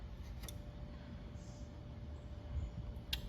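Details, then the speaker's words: Fantech dryer booster fan that stopped after 6 years: two sharp pressure-switch clicks as the exhaust sensing hose is pulled and reinserted, but the fan motor never starts. The owner is unsure whether the switch or the whole unit is bad. "So, uh, my pressure switch has engaged, but, uh, it's not starting the motor. So, just so you get an idea, so if I pull this hose out, you'll hear a click."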